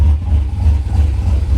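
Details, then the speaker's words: 2011 Chevy Silverado V8 after new cam install and head gasket repair: deep, heavy uneven loping idle, no knocks or ticks; healthy big-cam idle, though owner notes a vacuum leak still to trace. "This is a dead vacuum leak, though, so I mean, we gotta find out where that goes to. Yeah. That sounds good."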